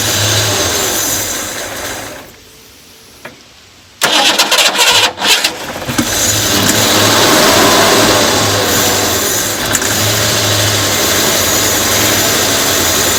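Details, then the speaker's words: 1990 Mustang Foxbody GT V8, not run in years, with the distributor just refitted and timing and TPS not yet set: it cranks, catches with a few stumbling revs, then settles to a steady but slightly uneven idle. "Keep in mind, nothing is set, timing's not set, TPS isn't set, nothing's set. So it may run, you know, not 100%, but hey, I'm happy with the outcome for today."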